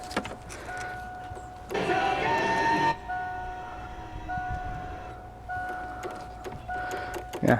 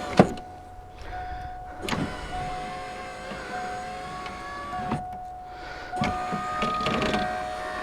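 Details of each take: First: 1988 Mustang power window motor inside the door: irregular light clicks about three a second with no motor hum. Power is reaching it but the window doesn't move; owner concludes the motor is bad. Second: 1988 Mustang after window motor install: smooth, even motor whine as glass travels, no clicking or stalling; power window working properly.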